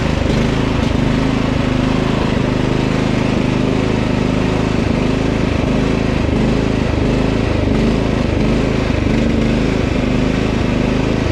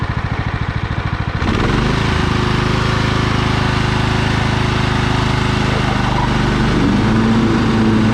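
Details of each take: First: Husqvarna LT1538 riding mower, Kohler CV15 single-cylinder engine with dirt in the carburetor; runs a while then quits. Engine surges/hunts, pitch wavering up and down, suspected fuel starvation from a dirty carb. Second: Husqvarna LT 1538 riding mower, Kohler CV15 single-cylinder, manual PTO: after warm-up and choke use it starts with rapid chuffing, idles down and runs smooth and even with no surging or stumbling; normal running.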